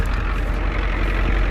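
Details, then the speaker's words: 1993 Ford E350/E450 box truck, 7.3 diesel, 230,000 km, likely E4OD, started after sitting about a year: low steady diesel clatter at idle, even, no misses or knocks, no blow-by; healthy idle. "The engine sounds really good. It has no blow-by."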